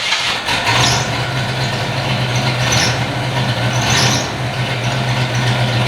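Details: 1993 Fox body V8, not run in years, with vacuum caps fitted and the spark plug wire reconnected: catches and holds a steady, even low idle hum with no stumble or skip. Normal idle on all eight cylinders.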